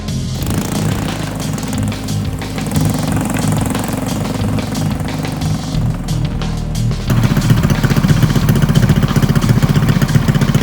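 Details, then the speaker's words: Drift trike small single-cylinder engine restarted with the choke after the knock was traced to a missing clutch set screw letting the clutch play on the shaft: steady running, no knock, partly covered by music. "yeah nothing no no no knock we're clean we're good"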